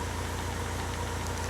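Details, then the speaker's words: Toyota AE86 with Link G4X ECU that had been cranking but not starting, now running: uneven, lumpy low throb stumbling every few beats like a motorcycle; rough idle, owner suspects misfire. "yeah guys if you can hear the sound sounds a little bit like misfiring right yeah it just sounds like a motorcycle"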